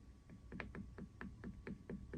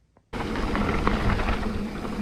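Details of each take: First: Mountain bike chain hitting a hard plastic chainstay protector fitted with foam pads: soft, dull taps about every quarter second with no sharp metallic clack; the foam damps the chain slap. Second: Mountain bike riding down a rough trail gives irregular sharp metallic slaps and clatter that bunch up on bumps. It is chain slap against a hard plastic chainstay protector with no foam pads.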